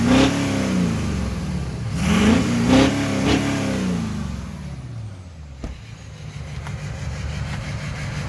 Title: Lmm cylinder 7 misfire